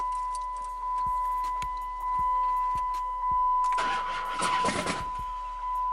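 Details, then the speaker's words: 2005 Chrysler 300C 5.7L Hemi after a rebuild, crank seal leak resealed with RTV, good battery: starter cranks and the engine tries to fire but never catches. The owner says it has spark and doesn't sound like a smashed piston or dropped valve; cause unknown. "well as y'all can see it wants to start it just won't start it doesn't sound like a smash piston doesn't sound like a drop vowel it doesn't sound like anything"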